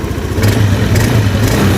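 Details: Honda Beat scooter that died suddenly on the road, fuel pump pressure fine at about 40–42; after carbon cleaner treatment the single-cylinder engine starts and runs at a fast, fairly even idle without knocking, emitting slight smoke; piston replacement suggested.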